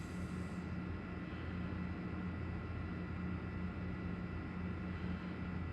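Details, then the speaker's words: iCharger X8 failing cooling fan, heard in 20 A discharge mode (about 14–16 A into the internal resistors) as the charger nears 95–103 degrees: a steady whir with a coarse, rough drone and faint high tone; the fan was later replaced. "be about 103 you'll hear that cooling fan kick on usually doesn't take very long because we're not using an external resistor bank with this eye charger"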